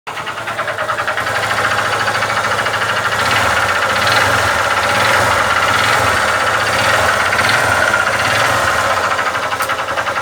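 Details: Honda Titan 150 motorcycle engine at idle: a sharp metallic knocking, about three raps a second, rides on top of the idle. Pushrod was questioned, but it is confirmed as a connecting rod (biela) knock.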